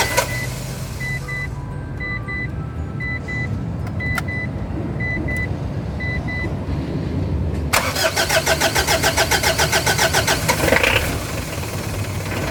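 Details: Car diesel with long hard starting: dash chimes, then starter churns in even pulses about three or four per second, cranking without catching. Cause suspected, not confirmed.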